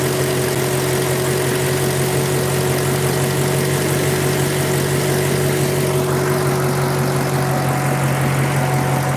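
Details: 2015 Maserati warmed up, hood open: smooth, steady idle with an even exhaust note; a clicking heard earlier is gone once warm, healthy.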